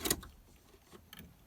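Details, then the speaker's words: S10 Blazer sat five years, fresh battery installed: one sharp starter solenoid click as key turns, then silence, no cranking; dome light and radio out, battery suspected drained, not confirmed. "That was a starter. That's a starter solenoid clicking."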